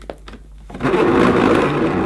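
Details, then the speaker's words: 1980s Hoover S3126 Sensotronic System 1 cylinder vacuum, 900 W single-speed: cable rewind, reported sluggish, gives a short dry rough whirring rasp as the cord reels in; grease suspected to help, cause not confirmed. "yes maybe it shouldn't make that noise hopefully bit of grease on that should stop the noise and make it run a little bit smoother"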